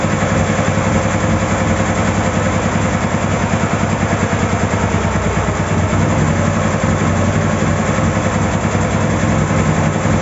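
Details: Ural 650 twin started after a breakdown repair; low even idle throb with a steady beat, no misses or knocks; idling properly.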